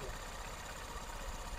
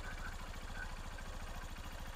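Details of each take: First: Honda TMX Supreme full-wave motorcycle, mic near engine, with faulty charging system (not charging, per regulator/rectifier tests): uneven, slightly lumpy idle with a dull knocking pulse, attributed to the charging fault. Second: Honda TMX Supremo full-wave motorcycle, mic near engine, with charging system working properly: small single-cylinder idles with an even, quick low patter, no misses or knocks; smooth, refined idle.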